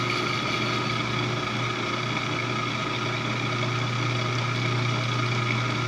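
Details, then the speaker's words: Lathe doing a light offset-turning cut on a bracket for an ACRA mill: steady, even gear whine with a low hum, mostly conduction noise through the machine with little ambient room noise; normal gear-train noise, nothing abnormal. "So you might notice what sounds like a lot of gear noise and a lot of whining. That's almost all conduction noise. In the room itself, as far as ambient noise, there's not very much at all."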